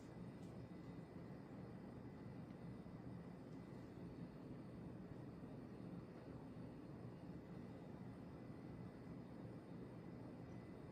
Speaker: e how but it does the wobble isn't bad and it definitely is pretty much dead silent besides the wind noise so it's not like it you know makes any noises or like the pole chains aren't banging in anything